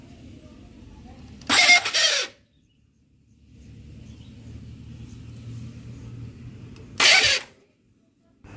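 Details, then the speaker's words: Honda CB150R motorcycle: two short, harsh, hissy bursts as the starter motor (dinamo starter) cranks, grating rather than a smooth whir, with a low engine murmur between. "assalamualaikum warahmatullah wabarakatuh mungkin kawan-kawan smap pernah mengalami start motor yang kurang halus seperti motor saya ini"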